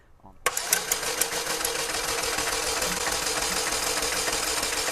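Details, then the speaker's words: 2004 Chevy Malibu Classic petrol engine, sludged, after ATF engine flush, spark plug out for compression test: starter spins fast and even with no compression chug; first cylinder zero compression, suspects stuck valve. "nope wasn't doing a thing nothing okay update on what's going on first cylinder obviously no compression you saw that"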